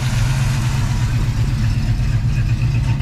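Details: 1989 Mustang 5.0L Fox body notchback, AOD, EFI-to-Holley 600 CFM carburetor conversion with UPR 4010 pickup and liquid-filled fuel pressure gauge; deep, steady V8 idle, even unbroken beat, no knocks, misses or hunting; runs clean and healthy.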